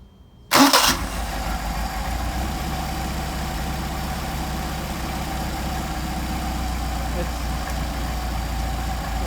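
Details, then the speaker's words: Engine with freshly adjusted Solex carburetors, warm, hot start: it catches quickly and settles into a steady idle that creeps upward, an RPM jump blamed on the throttle linkage not yet being secured. "RPM jump is to do the linkage. I haven't secured the linkage yet."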